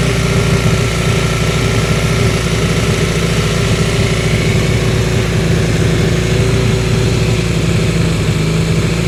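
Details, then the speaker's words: 1981 Honda CM200T after carburetor cleaning and restoration, before further tuning: steady but thin, hissy run at raised revs as the carburetor still draws too much air; lean running. "as you can hear the carburetor still has too much air coming into it at this point and this is how it runs after the carburetor was cleaned and restored"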